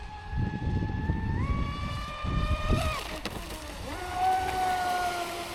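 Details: Traxxas Spartan SR RC boat on 6S at speed, second run after second repair (servo mount replaced, hull bottom repaired); clean high whine stepping up with throttle over splash, earlier crackling gone; normal motor run.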